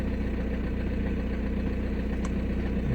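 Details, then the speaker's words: 2006 VW Passat B6 1.9 TDI diesel, 318,000 km, that would only start in first gear, after wiring repair under the hood: low, even diesel clatter holding a steady pulse without hunting or stumbling; check light still on; normal idle. "едем мотору все ровно мотор работает ровно уверенно"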